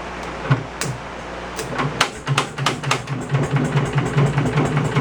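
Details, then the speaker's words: 1970s Wisconsin inline two-cylinder generator, abandoned for years, on its first run attempt: it sputters unevenly in ragged bursts that fade and catch, then keeps stalling. Cause unconfirmed; the points are suspected. "Might have felt the points maybe."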